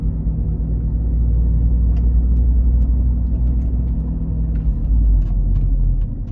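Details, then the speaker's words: Volvo V50 T5 while driving: a deep, uneven growl under road noise swells under cornering load on the outside tire. The owner suspects a wheel bearing. "all right hopefully you guys Heard It In that clip that's a wheel bearing growing sound so here's more of the groan sound"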